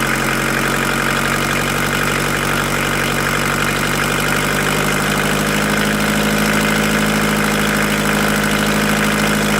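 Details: VW T4 1.9 diesel: a ticking knock at 2000 rpm appeared after an oil change, and hydraulic lifters were suspected. It is a fast, steady metallic rattle about four knocks per second over the diesel clatter. Teardown found a knocking piston pin; the engine needs an overhaul.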